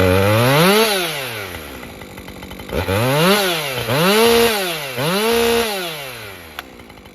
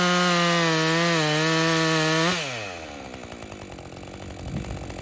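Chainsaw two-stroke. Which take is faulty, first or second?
second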